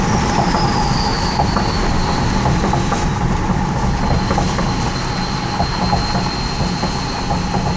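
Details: 2003 Powerstroke diesel: high piercing turbo whistle slides down in pitch then holds steady over a deep diesel rumble; insanely loud turbo spool, not a fault.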